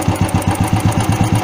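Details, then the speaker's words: Carburetor tuning, engine started and throttle screw turned up: even quick putting of about eight beats a second with no misses, idle speed set too high, to be lowered by turning the screw clockwise. "आप देख रहे हैं race थोड़ा ज्यादा increase हो गई है"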